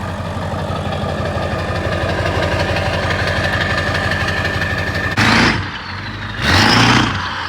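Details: Ford 7.3 Powerstroke diesel truck after self-done engine swap, battery and ABS lights still on; steady idle with even low clatter for five seconds, then a couple of loud bursts; running smoothly.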